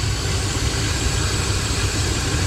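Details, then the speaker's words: 2012 Ram 1500 Hemi started after sitting all spring and summer: rough, throbbing low growl over the idle without clear knocks; owner suspects a vacuum leak or dirt in the water pump. "yeah you can hear some growling going on it's either a vacuum leak or uh some dirt the uh dirt and the um water pump"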